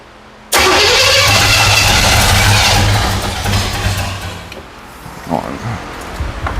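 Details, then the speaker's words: 1977 Pontiac Firebird with overhauled Pontiac 350, after correcting a mistaken Chevy small-block firing order: cranks, catches briefly, then dies and stumbles; not firing right, improved after advancing timing. "Something's not right. Something ain't firing."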